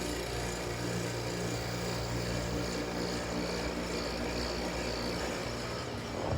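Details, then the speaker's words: Gold Star air conditioner at spring start-up, set to 65, compressor runs but sounds real angry: a steady loud hum with a coarse rough edge under the fan noise; owner thinks it'll go away after running a while. "Yep. Compressor on the Gold Star works. It's just real angry. I think it'll go away when you run it for a little while."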